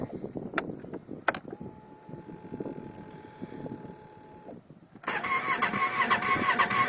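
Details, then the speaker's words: 2007 Yamaha Phazer snowmobile after two weeks sitting at -5°C, with new premium fuel, new spark plugs and a good battery: slow uneven cranking that finally catches and runs; always starts but takes a long time. "always starts, but it just takes a long time."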